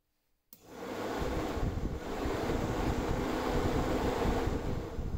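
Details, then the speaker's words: Electric radiator fan on a VW Golf MK1 aluminium radiator, bench-tested for function and bearing condition: switches on, spins up and settles into a smooth, steady whoosh; sounds fine. "first of all let's see if the fan works because if it doesn't we need to get a new one and let's we should hear also the state of the bearings"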